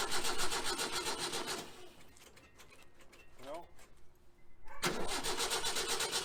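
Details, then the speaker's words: 1966 VW Type 3 Fastback with freshly rebuilt engine, jump-started due to dead 6V battery: two bursts of rhythmic cranking, no cylinder fires; turns over well but no ignition, wiring later reworked. "well she's not even trying right now so we're gonna do some uh playing for a minute and see what we can figure out"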